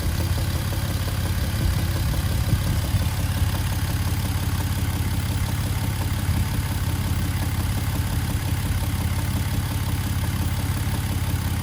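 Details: 2011 Jeep Wrangler JKU petrol V6 after an oil change (FRAM to WIX filter, Lucas additive added): low dull rhythmic clunk about twice a second at idle; owner unsure if engine or worsening exhaust leak.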